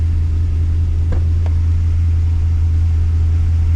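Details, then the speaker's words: Holden VX SS Commodore with a freshly rebuilt 4L60E automatic, in first gear at about 1500 rpm with wheels turning: steady low engine hum with no whine, clunk or grind. Normal operation in first gear. "and that is completely silent okay no major noises no issues there so it's so it's in gear it's moving it's in first gear"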